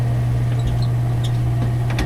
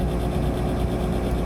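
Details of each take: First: Gas furnace that short-cycles and won't heat the house, blower motor suspected; furnace door closed: steady strong low hum with even airflow rush and a few light clicks, blower running smoothly. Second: Gas furnace blower motor running on thermostat call, capacitor tested near spec; steady low laboured hum as the worn motor struggles to reach and hold speed before shutting off. Owner suspects worn motor needing rebuild or lubrication.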